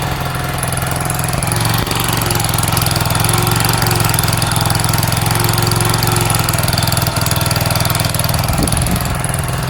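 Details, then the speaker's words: Sinnis SC125 motorcycle on a cold spring day after sitting, choke off: small single runs at a steady fast idle that won't drop to a lazy tickover; idle speed set too high, adjusted with a screwdriver. "could just say that I've got the rev set too high."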